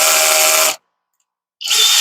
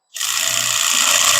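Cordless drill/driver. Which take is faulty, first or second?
first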